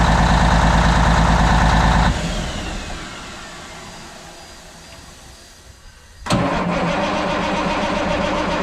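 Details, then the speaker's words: 1994 International 9600 cabover, N14 Cummins diesel, 561,000 miles, fresh batteries after sitting non-running: fires, idles evenly, dies over a few seconds, catches again; oil and water light blinking. "all righty it'll start up and run but it keeps shutting off um the oil and water light is blinking"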